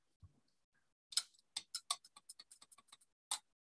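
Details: Pendulum clock arbor, unoiled, after re-pivoting, with its wheel dished on the pinion, end-shake test: a quick run of light dry clicks, speeding up and trailing off as the arbor falls freely side to side. End shake is fine.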